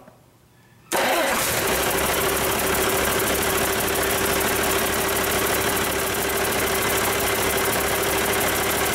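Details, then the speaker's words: Rebuilt Cummins 8.3L diesel with inline injection pump, restart after first fire, no coolant yet: cranks briefly, lights off, smooth steady idle with no misses or knocks; good oil pressure, healthy. "well i think bailly would approve it sounds good to me uh we've got good oil pressure"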